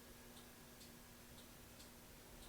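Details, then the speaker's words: 1993 Yamaha Riva 125 (Beluga) scooter, key on, start pressed: faint light clicks about twice a second, headlight dims, starter doesn't turn; sporadic no-start problem that worsened, starter area to be inspected. "but I'm not getting any any go go out of a starter and this has been happening sporadically um for a while now and it's always started but this time it hasn't"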